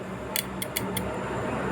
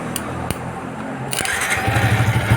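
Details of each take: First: Yamaha New Vixion motorcycle that won't start, starter relay jumpered directly: only four sharp light clicks with no starter motor whirr; faulty starter relay, replaced with a new one. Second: Yamaha New Vixion that would not start, with ignition on and the starter relay bridged by scissors: a few sharp clicks, then the starter spins and the engine catches with an even low beat. The starter motor brushes are still good.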